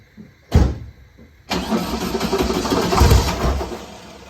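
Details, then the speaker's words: 1967 Volkswagen Beetle engine after reinstall with new motor mounts, oil cooler O-rings and fixed exhaust stud; starter cranks, brief pause, catches and settles into steady idle, no knocking; healthy start. "Probably going to make some noises, and then it's going to quiet up."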